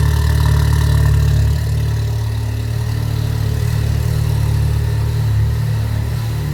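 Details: Subaru Impreza GC8 rally car with newly fitted Project X EJ20X engine, twin-scroll turbo, equal-length headers, after good compression test, replacing engine with failed #2 rod bearing: deep even boxer burble, no knocks or ticks, healthy idle.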